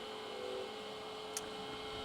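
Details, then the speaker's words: Euro Pumps SRT machine cooling fan during preventative maintenance: smooth, even low hum with steady tone and no rattle or wobble; fan cools the machine with lid on, running normally. "over here we've got the fan so you can hear it running obviously I can feel it running so um you know it's important that that runs it sort of cools the machine when the lid is on"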